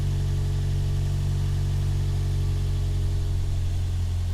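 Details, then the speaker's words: Toyota Yaris with swapped 1ZZ throttle body, after cleaning it and lowering the intake: even, steady low idle hum with no hunting or surging, holding steady at constant speed. "like it's holding steady"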